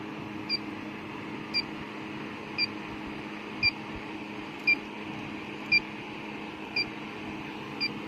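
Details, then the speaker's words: Electronic leak detector at the evaporator of a low-subcooling HVAC system: sharp high beeps about once a second over quiet room hum, detecting a refrigerant leak at the rear U-bends of the 832 evaporator, a common leaker; the unit was recharged afterward. "These things are real bad leakers a lot of the time. See, she rings off back in the back."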